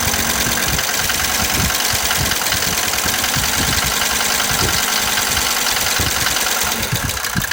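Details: Mercedes 190D 2.5L diesel at idle. Harsh, fast clatter of about four ticks a second, louder than normal injector knock; cause not yet pinned down.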